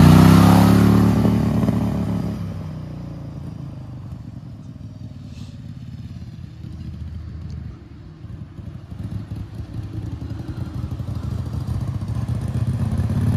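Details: Turbocharged Wheel Horse mower engine at full throttle, boost gauge reading about zero psi: loud roar that sags after two seconds and stays low and uneven; engine cutting out at high revs, cause not confirmed.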